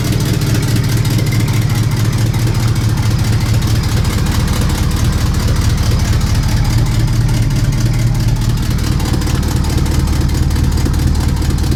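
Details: Ticking at idle: sharp, even puffing ticks about twice a second over a deep steady idle, sounding like a large exhaust leak chuffing that the owner needs to fix; cause suspected, not confirmed.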